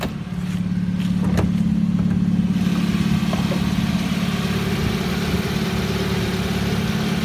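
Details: Engine running steady with a regular light knock, three or four beats a second; owner hears two knocks, one possibly piston, the second intermittent, starting at 2000 rpm and intensifying with revs, seemingly from the alternator side; valves suspected.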